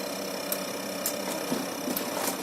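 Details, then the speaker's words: HP LaserJet M600/M602 with worn photo-drum drive gears, before repair. It runs with an unpleasant grinding hum and sharp clicks about twice a second, sometimes squealing, with paper jams under the cartridge. The fix is replacing the RM1-8489 gearbox gear and the motor gear. "сейчас мы посмотрим послушаем дефект вот такой вот неприятный скрежет"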